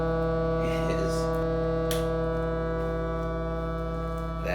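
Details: Vintage Silvertone 4721 air-powered chord organ, found in trash, fan running with power cord replaced: a steady chord drones by itself with no keys played; stuck organ key holding notes open.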